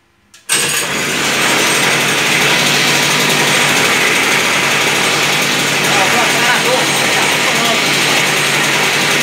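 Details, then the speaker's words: Toyama TG30FT 57cc two-stroke engine for a homemade drift trike, first start of the day with the kill switch on: it catches at once and settles into a steady, high-pitched buzz with no misses or stumbles, a normal cold start. "primeira partida do dia o apagador na posição ó ligado eu vou dar partida no motor normal quem não pega na primeira ligada a um pouco aqui né é normal"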